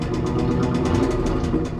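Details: 1995 Chevrolet Camaro Z28 with LT1 V8, bought with a knocking engine, idling: a sharp, regular knock about eight times a second over the exhaust drone, a worn connecting rod bearing.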